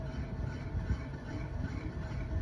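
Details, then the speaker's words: Evergreen Aroma fan switched to high only buzzes with a steady low hum and never spins up, stalling after minutes despite correct wiring; bad capacitor suspected though no visible bulging. "um it most likely has a back capacitor so yeah it's off right now and now it's on high and it's only buzzing right now"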